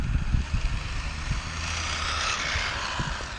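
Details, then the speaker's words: 3D printed Porsche 911 RC car, PLA/PETG 2-speed transmission in second gear, 2838 3600kv brushless motor, 30A ESC, 2S LiPo; high motor whine with loud crunching bursts, printed diff gears failing; metal gears ordered. Differential gear crunch. "yeah you can hear that sound that's definitely the diff that loud crunch oh yeah"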